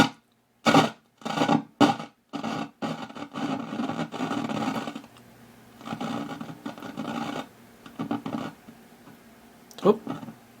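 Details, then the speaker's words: Zenith K421W AM-FM radio: scratchy, uneven crackling bursts that come and go as the stiff volume knob is turned, sound cutting in and out. Dirty volume control. "get this thing fixed because I can barely turn it number one and it's awfully scratchy"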